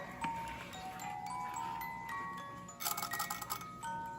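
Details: Vintage Goldbuhl ballerina alarm clock with a warped case: clear, bright chiming notes pick out a steady little tune with no drag or stutter; the music movement plays normally, though the alarm cannot be set properly.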